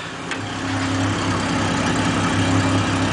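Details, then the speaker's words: 1989 Jaguar XJS V12, slightly warm, idles low near 500 rpm, hunting about 100 rpm, after distributor overhaul and coolant hose replacement; steady hiss and gurgling like escaping air from the front, timing doubtful; air leak suspected. "sounds kind of like air leaking somewhere i don't know"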